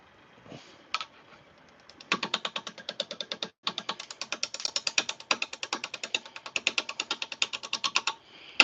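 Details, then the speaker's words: Lathe turning a blank, best guess birch, with a spindle roughing gouge and tailstock brought up: rapid, regular tapping about five per second as the gouge meets the off-balance, bouncing blank; rough running from unbalanced blank. "That means this guy's going to run a little rough. Probably bounce around a bit."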